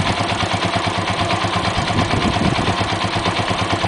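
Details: Yamaha XT125 single-cylinder with 1,100 miles, recently started: sharp high-pitched clicking about three times a second at idle, seemingly from the top of the engine; cause not yet known.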